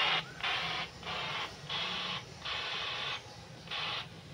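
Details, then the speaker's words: RigExpert AA-230 Zoom analyzer's SWR2AIR feature heard through a radio while the antenna is being tuned. Even hissy bursts about every 0.7 seconds, quickening as SWR drops toward about 2. SWR2AIR tone bursts. "now you see the frequency has increased a bit so we are approaching towards one right now it could be maybe two p now it has increase"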